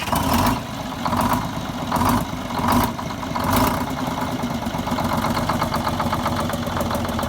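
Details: 74-year-old Greyhound bus diesel after fuel feed work to the injector rack, rewiring and a new start-stop box, fired up to check for leaks: it catches with a few uneven surges, then settles into a steady, even clatter with no knocks.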